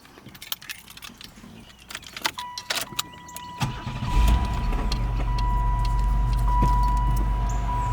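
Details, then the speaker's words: 1996 Pontiac Grand Prix SE 3100 V6, first start after replacing a seized AC compressor, new belt and battery: key rattle, then steady even idle with a faint constant tone; healthy, small exhaust leak at rear and clicking PCV valve. "Sounds really good. Got a little exhaust leak in the back of the engine. The PCV valve's clicking."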